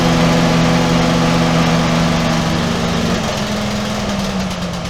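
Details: Lift engine after repairs, started with a little less choke: loud, raspy steady run with a buzzy edge and slight pitch drop near the end; the little muffler pipe on the base plate has rusted through.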